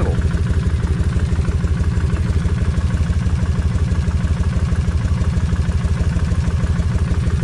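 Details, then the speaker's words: Kawasaki Vulcan 1600 V-twin, warmed up, idling on freshly added 20W-50 oil. A fine, even tick rides on the lope; front cylinder rocker arms are still ticking, less than before, and tick whenever the engine is sped up. "but now the thing is you can take it out ride it around come back in and them Rock arms is going to be Ticky anytime you speed the motor up so you can hear them"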